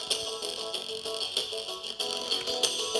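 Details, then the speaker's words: 1998 iMac G3 internal speakers playing music from iTunes: harsh buzzy sound with a papery rattle on every loud beat because the speaker foam surround has rotted away; speakers later replaced. "yeah that rally noise that terrible crash rattling noise you're hearing that is a sad phenomenon called drive a rock"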